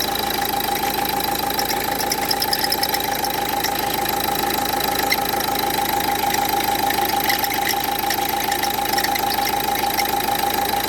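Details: Renault Duster 1.5 dCi diesel at idle, before alternator pulley replacement: steady whirring whine with a fast, regular light rattle about three per second; failing alternator pulley.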